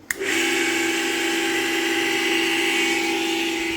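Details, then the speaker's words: Fan motor run with the blades removed to isolate a noise: steady high whine with a rough, gritty hiss that persists without blades, confirming a worn motor bearing; bearing to be replaced at home. "तो आवाज़ जो है वो आ रही है। हाँ bearing का मसला है, बैरिंग की वजह से आवाज़ आ रही है।"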